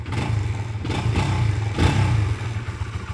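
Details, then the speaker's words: Modenas Z15 GT (ZGT) motorcycle engine after repair, timing chain identified as the cause: engine blips up and settles smoothly with an even exhaust note, the earlier "ketap ketap" ticking gone, quiet like new. "Dah tak ada bunyi dah. Ketap ketap ketap ketap ketap ketap."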